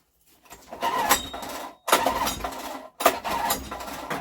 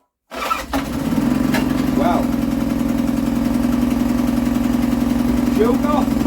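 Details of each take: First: Scrap Honda recoil-start generator, choke on, switch on: three recoil pulls a second apart, each a brief whirr dying away with no firing at all; a no-start, spark to be tested first. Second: Scrap auction Honda generator, fried pull string, no new parts, pulled on the floor: fires on the first pull and settles into a smooth, even hum with no surging or misfire; normal start and run.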